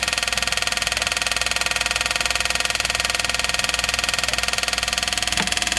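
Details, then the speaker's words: 1979 Chevy G20 van, sat 35 years, electric fuel pump hooked up with the tank switch grounded: fast, even ticking about four per second, light and hollow; pump runs dry drawing no fuel, suspected clogged line or tank switch valve. "Really pumping nothing. So there's a clogged fuel line, or that tank switch is clogged up and not letting the gas come through it. But you do hear it click. That's the fuel pump."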